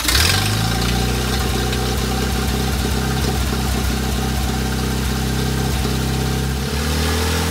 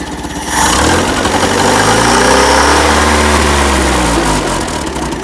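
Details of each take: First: Land Rover Series 1 109 after carburettor replacement and engine pressure wash, test run: steady firm even beat, picks up and drops back smoothly with throttle, slightly throaty exhaust, no misfire or knock; running normally. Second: Land Rover Series 1 109 after carburetor swap, started with starting fluid, untuned: engine catches and revs, then loud raspy throaty note from cut-off exhaust pipe, otherwise running cleanly; loud exhaust from shortened pipe.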